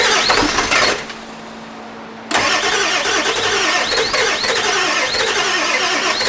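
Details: Ford E350 4x4 van, 7.3 liter diesel, first start attempt, one glow plug burnt off. Rhythmic starter whir, brief pause, then cranking at three to four turns a second, never catching; extended crank, no start; owner suspects too little glow plug time.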